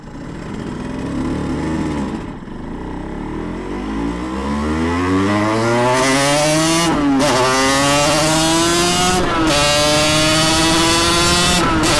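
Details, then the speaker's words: Yamaha TZR 250 3XV two-stroke twin with dry clutch, on a shakedown ride out of winter layup after a full engine rebuild: crisp note climbs smoothly through the revs and settles into a steady, clean run with no stumble. Normal running. "oh he's idling well that's good"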